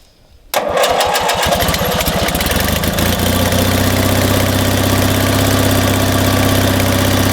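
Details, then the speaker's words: Old Montgomery Ward Gilson lawn tractor with an opposed-twin Briggs & Stratton, positive battery cable disconnected, jump-started by a 2000A jump starter in boost mode: quick burst of cranking, then it catches cleanly into a steady, even idle with no misses; normal start. "It's got an opposed twin Briggs & Stratton, a cranking challenge, I would say. We'll do the same thing. We'll disconnect the positive and get the NOCO hooked up and get it to start."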